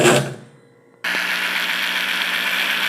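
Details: Consul washing machine drain pump: after brief silence it starts with a steady, gritty rushing hum and raspy edge, worn and liable to seize any moment; the replacement pump runs quiet.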